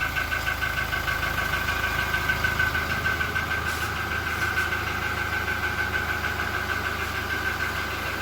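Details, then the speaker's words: Toyota Innova Reborn idling during warm-up: smooth idle with a sharp, high chirp about three times a second that fades and returns. Traced away from the engine bay to the exhaust; exhaust leak suspected, not confirmed. "sepertinya bunyi jangkriknya bukan dari kabin mesin udah coba kita dengerin Gak perlu nggak keluar suaranya Iya benar hilang-hilang timbul"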